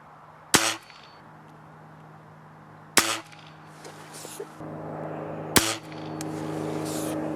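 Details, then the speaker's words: Weihrauch HW77K spring air rifle after home tune (shrink tubing on spring guide, polished spring ends, re-lubed, trigger cleaned and shimmed): three sharp dry shots dying quickly, no spring twang; healthy. "But anyway, much happier with it now."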